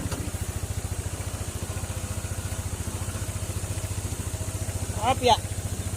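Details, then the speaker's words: Honda ADV 160 scooter after hard-start repair: previous shop couldn't fix it despite heavy cost; idle was hunting, then reprogrammed. Now starts on one click and idles evenly with a quick single-cylinder putter, no misses or knocks; normal idle before test drive. "Start. Ayan, one click na lang siya. Ah, te-test drive na lang."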